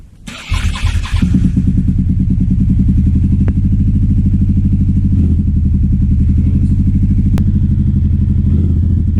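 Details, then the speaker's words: 2009 Aprilia Shiver SL750 V-twin idle hunting: after about a minute running, the lumpy idle jumps up and down with no error messages; apparently fixed by replacing both air pressure sensors in the filter airbox. "So this is what's happening with the idle. It's just jumping up and down. It seems to be happening about after a minute running."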